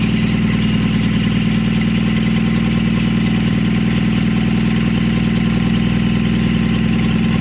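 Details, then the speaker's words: 1952 Chevy engine, weeks after freeing seized rings and carburetor, started with a splash of fuel since the accelerator pump isn't working; run in short bursts with no coolant in the block or radiator; steady, even low idle burble, no knocks or misses. "got it all taken care of and now a couple weeks later she's running and idling"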